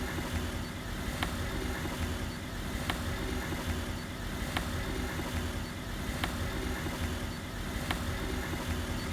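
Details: Volkswagen Polo: sharp single clicks about every second and a half over a steady low rumble; a regular knock from the suspension.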